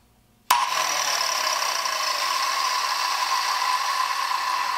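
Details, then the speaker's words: Sears Craftsman 7-inch electric hand saw, model 315.27802, secondhand, with a fairly new cord, first power-up. It switches on and holds a steady high whine with little bearing noise, no grinding or rattle, and no shock; normal motor run. "it starts and runs too. Didn't get a shock off of it. Starts and runs. Doesn't have a lot of bearing noise. Sounds like a good thing."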